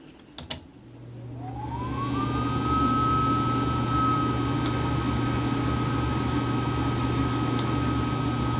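Fan spins up with a rising whine that settles into a steady, even tone over a low motor hum; smooth and healthy.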